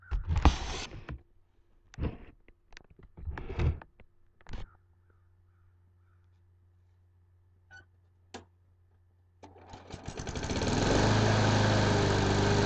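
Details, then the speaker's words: Craftsman lawn mower that would not start, after carburetor cleaning and rebuild kit: one pull and the engine catches at once, settling into a steady even run; normal start and idle. "guys there you have it it uh fired right up"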